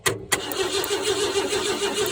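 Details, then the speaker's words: 1968 Ford F100 cranking after new points fitted, spark confirmed, possible bad coil; starter cranks steadily with uneven pops, engine catching intermittently but not running. "I can hear it popping. Let's see if this thing will pop now. I'm not sure if it will or not, but we'll see what happens."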